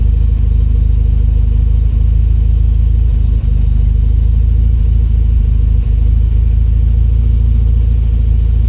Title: Rough idle